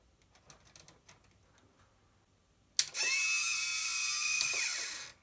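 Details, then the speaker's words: Macintosh Classic under restoration, with the hard drive unplugged and ruled out: a few light ticks, then a harsh, high grinding whir for about two seconds that stops abruptly. Still unsure whether the floppy drive or the fan causes the noise. "all right so at this point we have currently rolled out the hard drive as a possible suspect for that terrible noise we were hearing earlier however i'm still unsure whether it's the floppy driver or the fan that's causing it"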